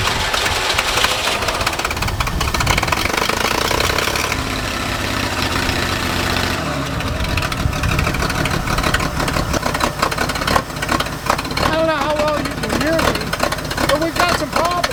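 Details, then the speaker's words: Forklift engine before repair, with a worn carburetor and the muffler torn off: loud, ragged running through the open exhaust with uneven pulses and stumbles; running rough and rich with black smoke and a fouled plug. "One, this thing runs like crap. Okay, this carburetor and we're probably going to get an exhaust system on that so that it's quieter"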